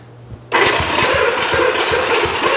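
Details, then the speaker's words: 1975 Honda CB200 with low compression on one cylinder, thumb compression test: starter spins with regular, strong puffs about four per second with slightly squeaky starter rollers after sitting; this cylinder's compression sounds good. "that one sounds pretty good that starter starter rollers are a little squeaky but it's been sitting for a while so that one over there sounded pretty good"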